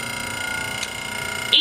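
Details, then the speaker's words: Home kitchen stove/oven just switched on, owner thinks its fan is broken; noise stops once the oven heats up: steady whining hum with a high singing tone holding level; loud fan noise. "So it'd be making a loud noise when I cut the stove on. So I need to get on that. Y'all hear that? The fan is broken."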